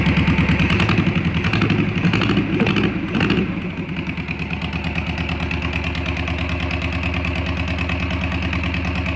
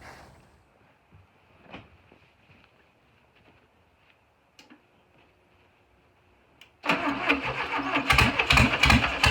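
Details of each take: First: VW Beetle air-cooled engine after slightly adjusting timing, running on fuel from a bottle: brief rev, then an even, steady beat held at idle; normal idle. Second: VW Beetle engine cranking, quiet then steady rapid starter chugging about three beats a second that never catches; number one cylinder was mismarked, so the spark plug wires were in the wrong order (correct 1-4-3-2); crank no start.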